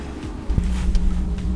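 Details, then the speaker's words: Van diesel heater in subzero Arctic winter: a steady low drone with a rough, uneven rumble as it struggles to light after another E8 error. "Still not working. Another E8. Yeah, this is annoying."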